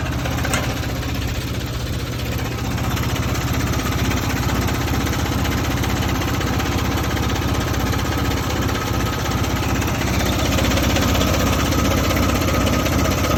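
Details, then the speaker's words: 1971 Jeep CJ5, Buick Dauntless odd-fire V6, just bought: loose uneven clatter on a lumpy low idle, two to three knocks a second; owner asks if normal, cause not pinned down. "Is this what it's supposed to sound like? Is this the odd car? There's that clinkity clank. Something that shouldn't be clanky clanking."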